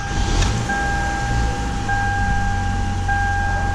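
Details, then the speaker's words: 2011 Toyota Camry that had stalled from very low rpm, after a throttle body cleaning: holds a steady idle near 1,000 rpm with an even hum and no dips or hunting. Check engine light came on after the work. "right so the RPMs table is staying up already you see the RPM it's almost a thousand"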